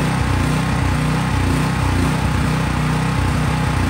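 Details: Craftsman 5000 W generator, used about once a year, running with no load or only a lamp or drop light plugged in. Steady, even single-cylinder chug at constant speed, no misses, knocks or hunting; normal healthy running.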